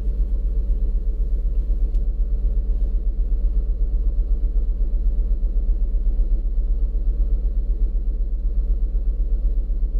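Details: 2007 Lincoln MKZ 3.5L with a customer misfire complaint: low, lumpy idle shaking about four times a second; a power balance test shows a dead cylinder, and it gets worse and dies when put in gear.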